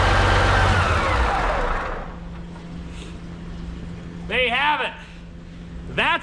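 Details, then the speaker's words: CAT 3412 twin-turbo diesel from a 992D wheel loader, test run with coolant lukewarm (about 80–90°): heavy roar settling to a steady low drone, no knock or misfire, zero blow-by. Normal running. "that's a sound of horsepower right there baby check that out zero Blow by that's a healthy motor right there zero Blow by"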